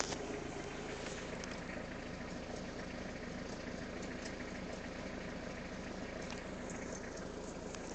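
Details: Peugeot 306 idling, under diagnosis: a fast, uneven rattling clatter over the steady run; abnormal engine noise, exact cause not clear.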